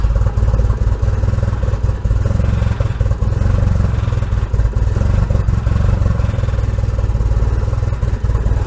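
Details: Nissan KA24DE turbo first start after long storage, jumped battery, Walbro fuel pump, distributor disturbed: loud, uneven lumpy clattery low pulse; rough running, owner suspects base ignition timing off.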